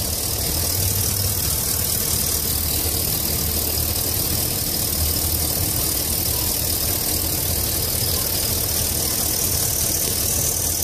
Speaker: but that's pretty much the engine running it's a normal idle I don't know if you can hear it or not